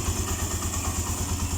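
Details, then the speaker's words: Suzuki Mola single-cylinder motorcycle after repair for a top-end tick that appeared once warm, with a new timing chain fitted and the original tensioner kept: steady low thump about eight times a second, no tappet ticking. Normal idle. "Nalagitik eh. A nawala. So yun pala yung dahilan wala ng lagite."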